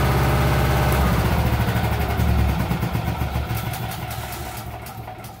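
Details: Yamaha 5 kW recoil-start generator starting. Engine catches and settles into a steady, even beat with no misfires, the sound easing off slightly; running normally.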